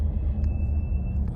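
A thin steady high squeal holds for under a second over low road rumble while braking; brake squeal, cause not identified.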